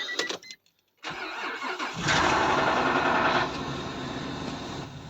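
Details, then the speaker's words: Car off the road a long time, started on the key: cranks, catches and settles into an uneven lumpy beat with one cylinder dead, only five pistons working, from a broken piston. "Did you hear that when I start up? There's only 5 pistons working."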